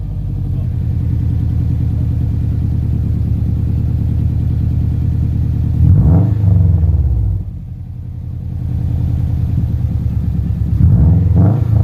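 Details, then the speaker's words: 2007 Subaru Legacy GT spec.B with Nameless catback and muffler delete, mid pipe not yet fitted: deep, loud, raspy drone while driving with two throttle surges and a rough flatulent rasp from an exhaust leak, "like a very angry pig." "See, you hear that exhaust leaking? Yeah. Sound like a very angry pig."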